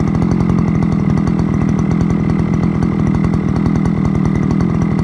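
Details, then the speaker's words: Forte petrol brush cutter started outdoors after repair for lost compression and knocking, with piston parts replaced; steady crisp two-stroke buzz at high revs, even firing, no misses or rattles. Scored piston blamed on bad oil or running without oil. "Ми на вулиці підкачуємо повинно завестися добре Це добре [музика] а-а-а ось заводиться"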